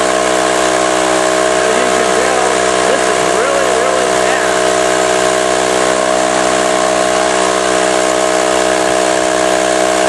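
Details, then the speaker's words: Campbell Hausfeld 20-gallon oil-less air compressor, not building or holding tank pressure, no leaks found: abnormally loud, harsh steady drone winding down and stopping, before repair; worn compression ring later replaced. "these oiless compressors are noisy as a rule anyway but this one seems to be abnormally noisy anyway let me go plug this in and show you or let you listen to it"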